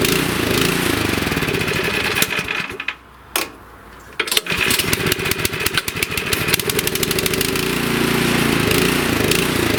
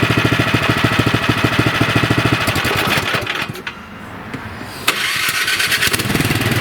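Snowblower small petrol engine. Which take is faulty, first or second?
first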